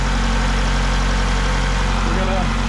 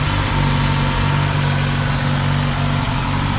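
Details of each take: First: 2000 Ford Contour 2.0 with a rough idle under load from a vacuum leak, after new intake gaskets and a replaced cracked PCV line: low, steady, even idle with no hiss or sucking sound. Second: 2000 Ford Contour 2.0, rough idle under load worsening, after intake gasket replacement: steady, slightly uneven idle with constant airy sucking hiss from a vacuum leak at a cracked PCV rubber hose under the intake.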